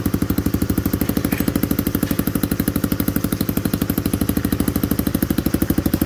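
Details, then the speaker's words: Freshly rebuilt Honda Cub-type single-cylinder engine pull-started with exhaust loosely held on, not bolted: strong even thumping at steady idle with open exhaust bark; very smooth and healthy. "Nó rất là đơn giản để xe này khởi động một con xe lổ nó quá là đơn giản đối với mình đấy máy cực êm cực chất luôn anh em nha"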